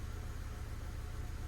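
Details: Ford PowerShift automatic after clutch replacement and new TCM, no fault codes, sitting in gear: steady even low idle rumble with no clunks, knocks or grinding; car moves on brake release, drivetrain healthy.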